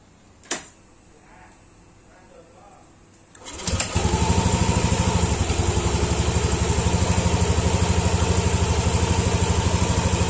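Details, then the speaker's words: Yamaha Aerox scooter after replacing a broken cam chain tensioner with a manual tensioner and refitting the air box filter: quiet, then the engine catches into a steady, smooth idle with no tapping or chain rattle; normal. "Samaya suaranya pun halus Ya pastilah namanya kalau Tensioner udah bener suara mesin pun akan halus"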